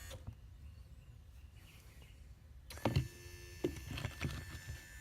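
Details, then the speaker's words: RV automatic entry step motor reconnected to harness and tested with the magnet: short bursts of smooth electric whir and steady hum, no grinding; motor and servo turn, step moves freely, normal motor operation. "okay so the motors turning well if the motors turning and the servos turning"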